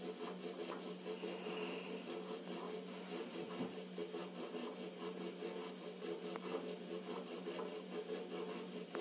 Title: emco compact 8 spindle noise part 3